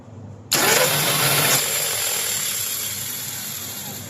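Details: Volvo L220H wheel loader, starter test after tightening the loose solenoid bolt and servicing the pinion: a high whirring starts and winds down with no cranking beat, the starter spinning while the pinion gear fails to engage the flywheel. The starter was then replaced.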